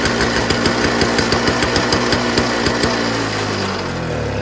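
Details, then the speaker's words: Toro Snow Commander 7 hp R-Tek two-stroke snowblower, early 2000s, after checking fuel flow from tank, choke at middle: pops along about three beats a second then winds down and stalls; owner suspects governor spring tension too high or throttle/governor issue. "I want to feel like it's something to do with the governor spring how maybe the tension may be too high so that it really needs that heavy spark and combustion for it to get started and once it get started uh it's easier to run"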